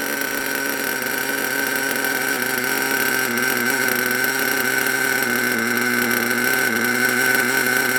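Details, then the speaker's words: HPI Savage SS nitro engine after years in a shed, warming up: steady even high-pitched tick-over with faint constant whine, no stumbling; normal idle. "mustn't forget we don't know how long it's been since it did actually run and was last used but I think that runs really well"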